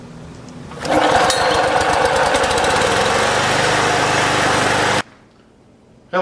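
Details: Harbor Freight Predator engine newly mounted on a Snapper HiVac 21" mower, throttle cable adjusted and primer pumped three to five times, catches on the first pull and settles into a steady, even buzz at running speed; healthy normal running.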